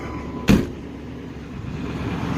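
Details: 1997 Chevy Tahoe 5.7 Vortec with about 234,000 miles, after a fuel pump replacement for a bad pump that had caused sputtering above 3,000 rpm: starts right up and settles into a steady, even V8 idle rumble after one sharp knock.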